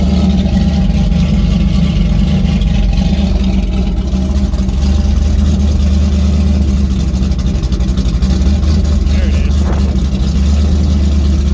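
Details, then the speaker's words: Rebuilt stock 304 V8 (5.0L), 11R heads with 53 cc chambers, about 10.2:1 compression, open headers, not up to temperature due to coolant issue; deep even rumble at steady cold fast idle, no knocks or ticks; normal running. "I think sounds good, man. Yeah, sounds. You can tell it's got some compression."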